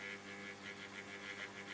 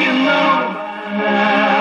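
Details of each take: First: 1947 STC Bantam C141 valve radio, about 150 V B+, no stations: steady low mains buzz with faint warbling hiss and no station audio, because the 6G8 valve is not fully seated in its socket. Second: 1947 STC Bantam C141 valve radio after reseating a valve that wasn't fully in its socket: steady music plays cleanly from the speaker without hum or crackle, pulling in a station and working properly.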